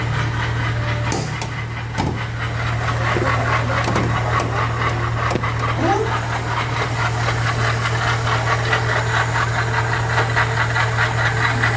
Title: ¡OJO A ESTO! RUIDO en el motor producido por la bomba de agua que está MUY DAÑADA